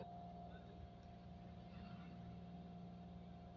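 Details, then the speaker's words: Engine in neutral with handbrake held, no AC (AC makes it worse): idle revs stuck high, steady raised hum that never settles; faulty idle speed control (ISC) valve, fixed by replacing ISC. "Meraung-meraung nggak jelas gitu. Ini mau aku coba aku pegang handrem ya, biar nggak jalan ya."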